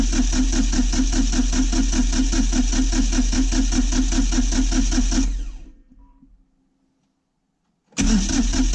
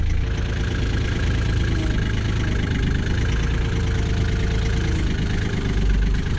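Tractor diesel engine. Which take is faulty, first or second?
first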